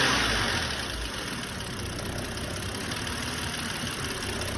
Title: What is this noise bmw 530i hard ticking